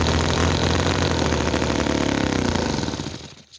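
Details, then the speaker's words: Petrol model V-twin (Chinese commercial model engine, oil added to crankcase) races fast and ragged with uneven popping about four a second, won't run slow, then sputters and dies. Explosions and oil coming out of the engine; rough running, fast idle, cause not confirmed. "as you can see the um there's not this is not perfect it's not running slow and there is explosion coming out of this"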